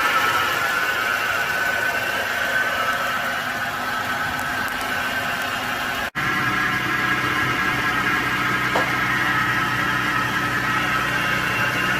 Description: Ruido del motor porque falla el compresor del aire acondicionado.